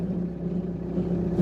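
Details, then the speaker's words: Rover 25 with L-series engine, stored and just started cold before a 90-mile drive: steady low-pitched whine over the idle, unchanging in pitch; the previous user said it starts with a funny noise and it goes away soon; source unconfirmed. "he's already told me started with a funny noise so that's something to look forward to"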